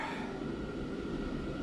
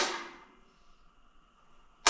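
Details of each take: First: Garage shop gas heater's first start of the season on a cold day in the 40s °F, after purging: pilot lit and held about 10 seconds, then the main burner catches with a steady, even low roar, no popping; normal ignition. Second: Propane shop heater ("garbage can heater") first startup on light/ignite/purge setting: air in the gas line; four sharp igniter snaps at uneven intervals with no burner whoosh, hissing out atmosphere from the tank until propane reaches the pilot.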